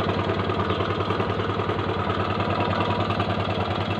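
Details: 2008 MX 4-speed motorcycle, original engine and exhaust: uneven single-cylinder idle with a loose, faint ticking knock over the exhaust beat; seller says engine knocks slightly (ngelitik), rough, needs service.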